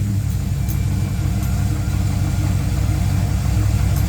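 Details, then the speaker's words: Chevrolet Tahoe V8 warming up at idle: a faint, irregular tapping about three a second over the low rumble; owner first suspected rod knock, now thinks upper valve train or cam, linked to an oiling issue, unconfirmed. "She sounds like she's knocking, folks. I don't know if you guys can hear what I'm hearing. I think it's upper valve train, so it could be the cam."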